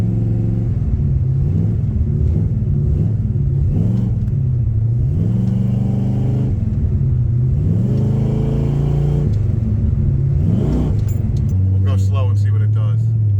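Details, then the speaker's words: 1972 Pontiac LeMans with replacement 400, drag strip pull: engine note climbs and flattens high, automatic hangs in second with no third; problem seems worse as it warms up. "There's second. Should have went into third by now."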